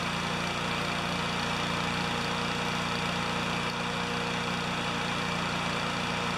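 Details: Honda GCV160 lawnmower engine, owner reported it ran flat out or at 2,000 rpm, cold next-day start before governor adjustment: even, steady drone with no hunting, misfires or knocks; runs clean and healthy.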